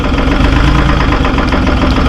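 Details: Terex 72-31 loader with 6V53 Detroit two-stroke diesel, first start in 20 years on 20-year-old fuel; heavy, fast, lumpy idle with uneven firing, smoking badly; owner suspects a couple of hung-up injectors, not confirmed.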